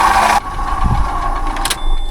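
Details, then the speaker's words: Car at auction, engine running, very low on coolant: a steady mid-pitched whine over the engine, identified as a dry water pump, probably leaking coolant from the pump; possible damage is a concern. "Right, so what we're hearing there is a dry water pump. And by the state of the water bottle, hardly any water in here."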